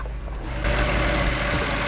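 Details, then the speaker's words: 1998 Jaguar XJ8 4.6 DOHC V8 at idle: light fast metallic rattle over the low engine drone; bad timing chain. "as you can hear the timing chain everybody in the video"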